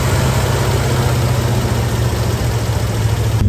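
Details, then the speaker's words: 1966 Ford Bronco U13 barn find with new exhaust and temporary gas tank, cold on full choke: deep, lumpy idle with uneven beat and loose rattle underneath, which the owner notes; rough cold idle. "sounds pretty different there we go chokes all the way on and they're rattling a lot but it's running just a little bit"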